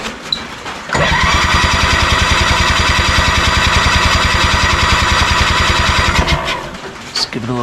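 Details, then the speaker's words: 1987 Honda 3813 lawn tractor abandoned for years, no throttle cable, radiator fan or clutch fitted: steady starter cranking about three and a half compression strokes a second for five seconds, never firing; spark present, dry plugs, owner suspects no fuel or timing off. "gas here sounds like the timing is off let's just see if we're getting any kind of spark"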